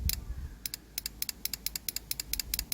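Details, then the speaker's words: Sharp clicks in quick pairs on a bench test of a Holden Tigra relay as power is applied to pins 85 and 86; a clean snap each time shows the coil pulls in, passing the first test. "so that's the relay clicking in so that means that's one test for the Relay"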